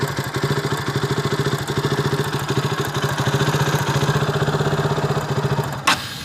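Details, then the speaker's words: KTM RC 200 that stalled at idle and when pulling clutch, recorded before repair: uneven stumbling single-cylinder idle with irregular thumps and tick-tick spark sound, then cuts out; misfire from a loose plug cap. "കാര്യം നമുക്കതിൽ നിന്ന് ഒരു സ്പാർക്ക് അടിക്കുന്ന ഒരു സൗണ്ട് കൂടെ, tick tick tick എന്നൊരു സൗണ്ട് വരുന്നതായിട്ട് ഫീൽ ചെയ്യുന്നുണ്ടായിരുന്നു. ഒരു എവിടെയോ ഒന്ന് പ്രോപ്പറായിട്ട് പോകുന്നില്ല എന്നൊരു തോന്നലുണ്ടായിരുന്നു."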